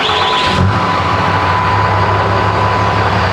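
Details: 2008 Dodge 2500 6.7L Cummins, 122k miles, first start after replacing injectors and injector tubes for rough running and low power, injectors bled: short crank, catches within a second, settles into even steady rumble; starts cleanly.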